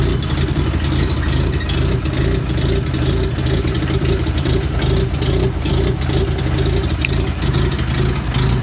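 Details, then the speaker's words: 1988 Mazda RX-7 (S4 chassis) with J-spec S5 Turbo II 13B, stock ports, MegaSquirt II, E85 with premix, at idle: uneven rotary idle with sharp irregular pops and squeak, a minor exhaust leak at the downpipe. "you hear that squeaking with that popping sound here there is right at the downpipe I got an exhaust leak very minor one you can hear it just called pop pop pop you know"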